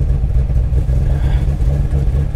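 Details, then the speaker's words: Salvage auction car listed as non-runner: deep, steady rumble with even beat, no knocks or rattles; starts and runs normally. "it runs yes she runs and it's listed as a non runner"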